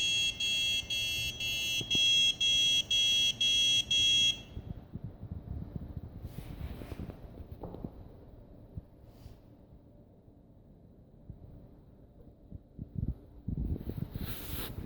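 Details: Huanan X79 Deluxe motherboard, Xeon E5-2603, 4×8GB PC3-10600R, 650W PSU: sharp even beeps, about two a second for four seconds, then handling noise; board beeps and won't start.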